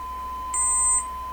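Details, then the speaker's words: DeForest 10DA517 AM radio during alignment with a strong signal injected: a steady tone with a brief shrill squeal. It oscillates when turned up loud enough, and the weak meter reading is put down to a bad connection. "so I guess I'm turning it up I'm generating an oscillation when they get it turned up loud enough"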